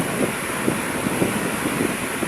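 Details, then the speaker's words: Repaired 18-inch Hanabishi stand fan with aluminum blade, after fixing a loud metal-on-metal scraping noise, now running smoothly at speed 3: a steady, even rush of air with no rattle or grinding; normal high-speed operation. "mabilis na ang pag-ikot niya. Ayos na ayos na po ito."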